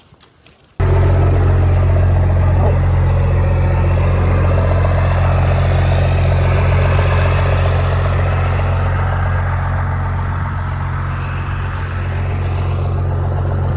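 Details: Engine catches at once and holds a deep, steady, even rumble at idle with no knocks, misses or surging; normal idle.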